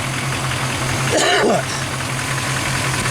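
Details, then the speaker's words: 1997 OBS Chevy V8 with manual conversion, EGR delete, regularly tuned and oil-changed: steady, even idle with a smooth low burble and one brief chirp; runs smooth, computer tune still pending. "i keep it pretty well tuned i change oil on a regular basis but yeah so see it runs pretty smooth not a bad deal"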